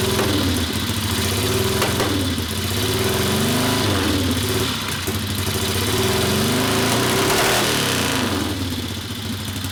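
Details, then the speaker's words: 1964 Harley XL 900 Ironhead Sportster, custom distributor suspected: uneven, hollow popping idle with skipped beats; one cylinder's exhaust stays cool, so it runs on the other alone, misfire. "i can hear [ __ ] not running on one cellar you could get up the bl noise that means it's not running for crap"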